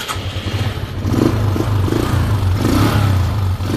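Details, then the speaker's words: Suzuki Skydrive scooter converted to a GY6 D carburettor, battery at 13.1 V, started on push-button starter: brief starter catch, fires in one click and settles into an even steady idle; clean healthy start. "Ayan guys, one click na guys, no? So one click na guys, no?"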